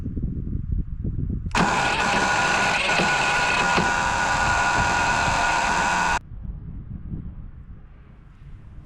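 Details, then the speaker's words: Westinghouse iGen4500DF inverter generator, stored almost a year, started on starting fluid sprayed into the air intake. It cranks, catches, runs loud and ragged about four seconds, then dies. Rough running; owner suspects old fuel. "that's an awful noise isn't it well she runs which tells me that uh the issue is probably in the fuel"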